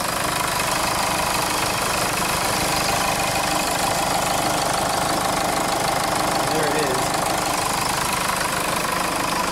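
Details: 2005 Jeep Liberty CRD diesel, 171,000 miles, steady idle with uneven rough knocking clatter like a tractor; low power, limp mode, no turbo boost, P0105 MAP/boost sensor code, replacement MAP sensor suspected knockoff; cause not confirmed.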